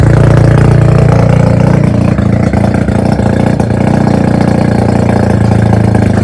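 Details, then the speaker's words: Mazda FC3S rotary being rebuilt, idling after the exhaust muffler was fitted (previously run without one): loud, deep, steady burble with a smooth, consistent pulse and nothing rattling or missing. Healthy idle. "Okey, exhaust dah siap. Jom kita dengar bunyi dia. Itu hari tak ada exhaust weh."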